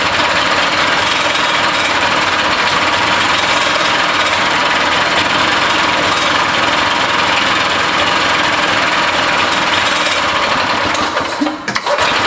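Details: Barn-find Harley Davidson golf cart two-stroke engine, fuel line newly fitted plus ether: buzzes loud and ragged several seconds then stumbles and cuts out; hard starting, owner suspects too much fuel or adjustments out.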